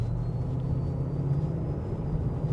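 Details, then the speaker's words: BMW E53 X5 4.8is 4.8 V8 with LPG, cabin while gently accelerating: thin, steady high "dentist drill" whine through the sound system, stereo on or off, not the gearbox; owner suspects alternator interference. "like I've got a dentist drill in here following me around. It's not the gearbox. It's definitely coming through the sound system."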